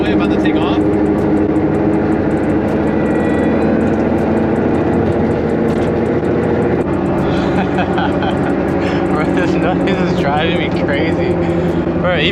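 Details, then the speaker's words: Honda S2000 cruising after axle, hub and wheel bearing replacement, noise persisting: heavy, steady cabin-filling drone like a plane on takeoff, louder than the radio turned up. Wheel bearing roar. "when I have the radio like pretty loud I could it's still so loud like the radio does not block it out at all"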